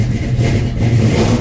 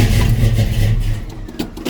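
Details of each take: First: 1967 Chevrolet C10 V8 just after a cold start, unstarted for several days: rumbles unevenly with throttle blips, very cold natured and won't hold an idle until it warms. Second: 1967 Chevrolet C10 V8, cold start after sitting several days: cranks briefly, catches and settles into a deep, even lumpy idle with smooth blips; runs good but very cold natured.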